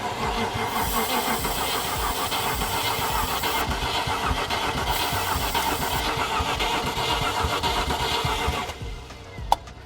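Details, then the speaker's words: Cheap Land Rover Discovery 1, cranked on a jump box with starting fluid: starter churns steadily at about four even beats a second but never fires; they suspect it needs more power or has a poor connection. "nope might need more juice too yeah that's what I'm thinking"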